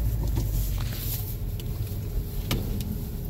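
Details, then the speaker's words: Mazda driven over three potholes after tightening the loose under-shield with zip ties (it rattled in cold weather after hitting a snowbank): only even tyre and road rumble with soft thuds, no rattle from underneath. No rattle over bumps. "looks like I'm doing good it looks like tightening my under show really hopes and hopefully this fixes yours too if you have similar noise"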